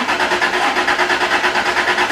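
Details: Vehicle with fuel-related crank-no-start while checking fuel pump relays, key in run; steady rhythmic starter cranking that never catches; suspected failed fuel pump.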